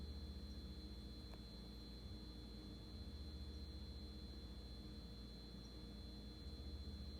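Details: GE fridge: steady thin high-pitched whine held constant over a low hum; cause not evident.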